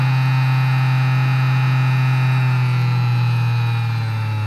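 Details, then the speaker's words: Massager motor under Arduino PWM variable speed control: strong steady low hum with a faint PWM whine on top, easing slightly in pitch; motor runs smoothly. "and we have a perfectly working pulse with modulation controlled variable speed massager now"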